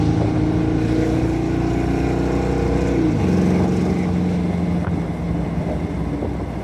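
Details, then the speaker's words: 1972 Mustang convertible 351 Cleveland V8 with Edelbrock 4-barrel intake, headers and custom 2.5-inch exhaust with Black Widow mufflers, driving, not floored: deep, even note climbing, clean shift, steady cruise; runs on all eight, idle set too high. "That was not floored. Yeah, that runs on all 8. That's not running bad."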